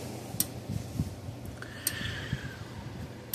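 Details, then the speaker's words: Parmak Solar Pak 12 solar fence charger run from a bench power supply at about 13 volts in place of its junked batteries: sharp single clicks about every 1.5 seconds, gauge fully in, charger pulsing normally; unit needs new batteries. "see if it goes a clicking hear that it's working and the gug is all the way in the"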